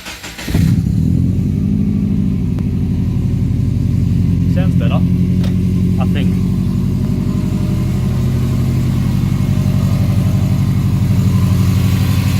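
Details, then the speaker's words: Idle of the "Golden Toaster" project car's engine right after a helicoil repair of a stripped exhaust-manifold stud hole in the block; smoke, possibly WD-40 burning off. Steady, even low idle with no ticking or puffing. Sounds healthier; normal idle. "Let's let that burn off. Sounds healthier. I'm gonna stand over here so it doesn't hear it."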